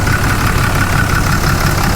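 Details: 6.7 liter Cummins turbo diesel truck, bought cheap, no smoke: steady even idle clatter with rapid knock over low rumble; normal diesel idle.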